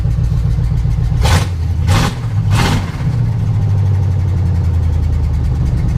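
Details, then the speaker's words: 1988 Chevrolet K1500 with new long-tube headers, open with no pipes yet, no leaks; three quick throttle blips, deep raspy bark dropping to lumpy rumble, louder but quieter than expected for open headers. "and yeah, it's louder, but for open headers, you would think it'd be a lot louder."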